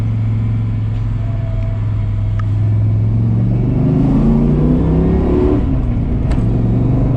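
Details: LS1 V8 Nissan Patrol after fixing a long-standing wiring fault that had stopped it starting: under full throttle in second gear, a deep V8 rumble climbs steadily with no stumble. It's pulling cleanly; the fix worked.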